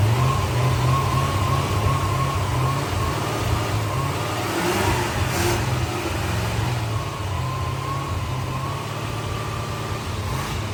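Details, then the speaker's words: C4 Corvette V8 started via jumper switch bypassing a bad starter/relay circuit: deep steady rumble with light revs, no knocks, ticks or rattles, no smoke; won't run on its own fuel, carburetor plugged up. "So, this one runs. It doesn't smoke. It doesn't make any noise. Um, it won't run on its own fuel."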